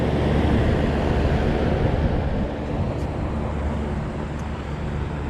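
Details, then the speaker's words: AC condenser fan motor after separating a gasket material: smooth, steady whoosh over a low hum, no rubbing or scraping, now sounds like a regular fan motor; normal condenser fan running. "I'm liking that a lot better yeah I don't know if it was picking up on the video that noise but it sounds like a regular old fan motor now"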